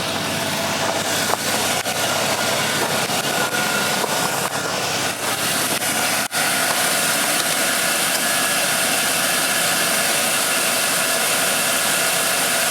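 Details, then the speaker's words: 2001 GMC Sierra 2500HD stock engine at idle right after swapping Autolite platinum plugs for NGK Laser Iridium plugs left at factory gap: even, steady idle under a busy hiss, quieter, small ticking heard before now seemingly gone; normal idle. "It may be purely speculation, but it does seem like this thing idles quieter. I could hear little tiny ticking sounds before, and pretty sure I don't hear them now."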